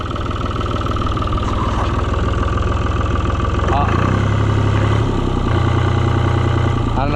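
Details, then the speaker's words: Cockshutt 1255 FWA diesel tractor, 6,213 hours, just hauled home from auction and possibly leaking fuel at the pump's top gasket: idle wavers and stumbles into a flutter; owner suspects it's running out of fuel. "I thought I heard it flutter. I bet it's out of gas."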